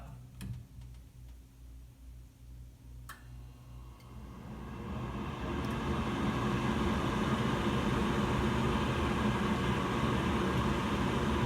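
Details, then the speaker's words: 2020 Evcon (rebranded Coleman) 65,000 BTU low-NOx gas furnace startup: a few light ticks, then the inducer motor spins up to a steady even whoosh, followed by igniter, gas valve and burner ignition; normal inducer startup. "there goes the inducer motor the burgers will kick off very soon there goes the igniter gas valve ignition as you can hear the burners are on right now"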